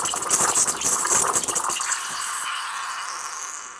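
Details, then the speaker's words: Milk-steaming practice with water: steam wand tip lowered until its hole barely touches the surface, giving a crackling, spitting hiss that settles into a steady hiss as air is drawn in, showing correct wand depth. "치직치직 하는 소리가 나죠 공기 들어가는 소리가납니다"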